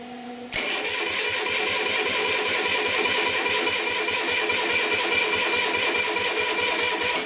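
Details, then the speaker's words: Onan diesel generator, sat unused about 20 years, fan missing; after battery charger hooked up, starter cranks over a lot better, briskly and evenly at two to three compression pulses a second, though battery still weak. "cranks over a lot better"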